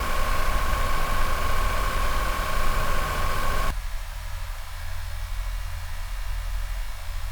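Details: PS5 cooling fan before and after replacement: loud airy whoosh with thin steady tone from stock fan drops to a much quieter low hum with the upgraded fan.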